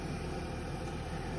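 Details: Audi Q5 started with a jump-battery setup after sitting for a month with its original battery discharged: a steady, even low rumble with no knocks or misses, a smooth idle right after starting.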